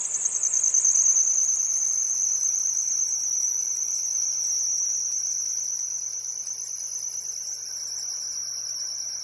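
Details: Audi A6 on cold start: shrill chirping squeak at about three pulses per second over the idle, from a worn auxiliary belt tensioner. Fixed by fitting a new tensioner.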